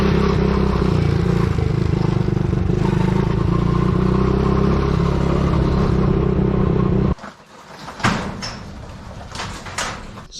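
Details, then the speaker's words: Coolster 110cc quad that sat two years, on test ride: rough steady clatter, then sudden cut-out to near silence when choke flipped off; won't run without choke, fuel starvation, owner suspects dirty carburettor with clogged jets. "it didn't want to run at all with the choke on and you choke off so I'm guessing the carburetor is dirty but as soon as you flip it down there's nothing absolutely nothing so it's not getting enough gas so I'm guessing the Jets are clogged up"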